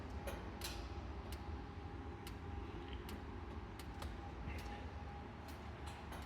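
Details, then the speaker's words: Stuv Compact 30 wood-burning stove about 10 minutes after lighting, door just closed: sharp metallic ticks every half second or so over a low, steady fire rush; normal ticking as it heats up. "what you'll actually start to hear is that the fireplace will start ticking once you close the door. It's going to really start to build up heat pretty quickly. And if you hear the fireplace ticking, that's a really good sign."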